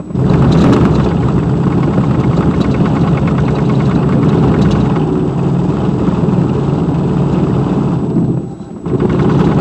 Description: 2002 Silverado 2500HD the center driveshaft support bearing broke while off-roading in the snow. This is what is sounds/feels like.